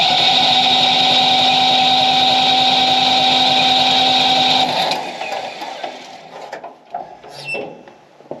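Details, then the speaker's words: Yanmar 2310 three-cylinder diesel 4x4 tractor during fuel injector service, cranked with the decompression cable pulled so it won't start, bleeding fuel lines: even starter churn, about four pulses a second, no firing; cranking with decompression engaged. "Alright, so now we pull out on the decompression cable so that the engine won't start, and we're going to crank it."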